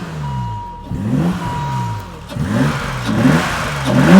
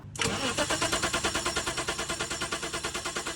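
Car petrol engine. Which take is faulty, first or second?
second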